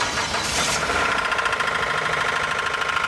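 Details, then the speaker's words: 2007 Hyundai Grandeur 3.3 V6 bought with an engine noise: a fast, uneven metallic knock over the idle. It is a spun rod bearing with metal shavings in the oil pan, not a timing chain, tensioner or guide problem. "сегодня у нас в работе хендай грандер который был куплен край крайне из рынка с небольшой проблемой это посторонний шум двигателя"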